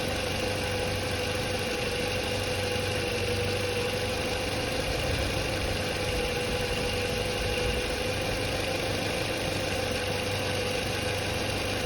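Steady, even idle with a constant light whine from the belt-driven alternator, no rattle or surging; charging system sounds healthy.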